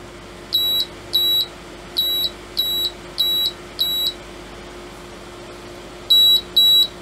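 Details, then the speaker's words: Agilent E3633A linear bench power supply under repair beeps repeatedly in high short tones over a faint hum: output set to 5 V goes straight to error, display shows -0.4 V in constant current, output doing little; encoder clicks normally. "wow it's not happy road encoder appears to be working because i can hear it clicking as i rotate it yeah i'll set the output to 5 volts and it's just error"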